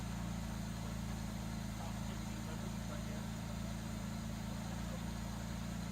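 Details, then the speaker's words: 1967 Jaguar Mark II, off road 20+ years, after valve cover work; smooth, even low hum at idle with steady beat, no ticking or stumbling; kick-down set, coolant overflow spewing: normal idle. "Right at like 9.5. Perfect. Wow, that sounds good!"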